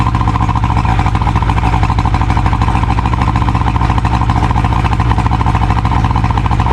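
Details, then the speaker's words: 70hp Johnson outboard on a Nitro 165TL bass boat, run on a water hose after the lines were cleaned and hooked to good fuel: steady, even firing pulses, no misses or surging; running much better than before. "She sounds like she's running a whole lot better now than she uh than she was before."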